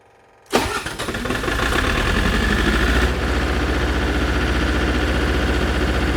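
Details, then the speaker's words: MEP 803A generator at a cold start: it cranks and catches, then runs lumpy and climbs slowly in speed as one cylinder fires late and catches up, a cold-start misfire. "Yeah, See, it's like extra bad now. That's definitely a cylinder not firing correctly and then catching up."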